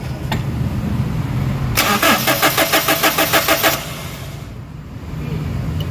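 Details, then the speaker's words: Toyota Innova common-rail, code P0351, cranks but won't start: fast even cranking pulses about three per second, never catching; no fuel reaching the common rail, no rail pressure, and the unit has no rail pressure sensor for the ECM to detect it. "Okay, so nakita nyo guys na walang supply mismo yung kanyang common rail pressure, walang pressure. So ibig sabihin walang supply ng gasolina, so wala talagang spark."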